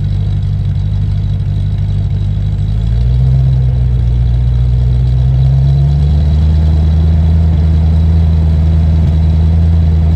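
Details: Land Rover Discovery 1 3.9 V8, first start after about 18 months sitting: loud, booming idle that deepens and swells as revs rise and settle; unmuffled drone because the centre silencer is missing.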